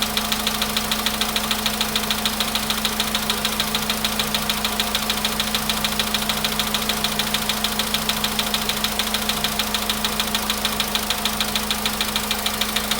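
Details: VW Polo sedan with almost 100,000 km: sharp, regular tapping knock from inside the engine over a steady idle hum. The knock goes away when held around 1500 rpm. Cause not confirmed.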